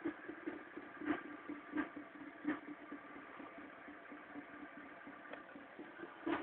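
Cold idle with a sharp tap standing out about every 0.7 seconds over a light, even hum; something's wrong, cause not yet clear.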